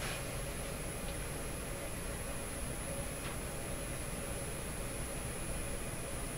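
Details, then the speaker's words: Canadian Admiral J104X/J105X console valve amplifier, inputs shorted: steady speaker hiss with a thin high whine slowly changing pitch and faint low hum; hum and oscillation of unknown cause. "so there we are there it is so slowly changing pitch as if something is warming up"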